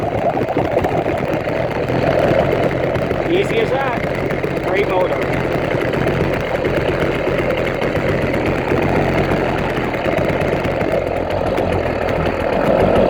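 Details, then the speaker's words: New 80cc motorized bicycle two-stroke, third start, 24:1 oil/gas on 91 octane, fuel petcock opened: catches and settles into buzzy, steady idle without stumbling or knocking; clean easy start. "already so this motor would work great pick starting"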